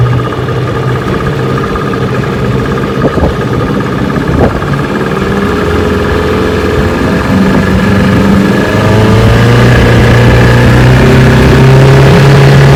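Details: 1985 Johnson 6hp vintage two-stroke outboard, restored, on a lake test run; even buzz climbing cleanly in pitch as the throttle opens, no stumbles or knocks, running healthily.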